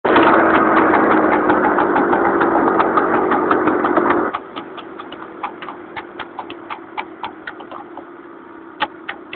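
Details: Honda Cub small motorcycle engine, modified, misfiring while moving: revving in bursts with sharp uneven pops breaking through between pulls.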